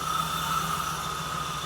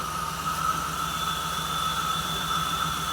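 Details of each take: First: 1979 Jeep CJ-5, first start after sitting 29 years: steady low idle with an even pulse and no valvetrain ticking, plus a thin high whistle from a vacuum leak. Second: 1979 Jeep CJ-5 run for the first time after sitting 29 years, no ticking: steady airy hiss with a thin whistle over a slow, rough-pulsing petrol idle, a vacuum leak.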